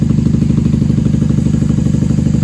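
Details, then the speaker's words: 1994 Honda Magna 750 VF750C V4 warming up on choke after fuel line repair, airbox removed, unbaffled factory pipes: even, quick-firing, deep throaty idle, steady with no misses; normal idle. "Hey, she sounds good. She sounds great. I'm surprised she's running so well without the airbox on."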